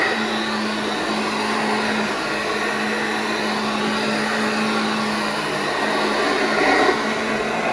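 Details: Vintage Hoover Junior 1334 vacuum cleaner after full restoration, running in a room: smooth, even motor hum and steady whine, no rattles or grinding; motor and bearings sound healthy.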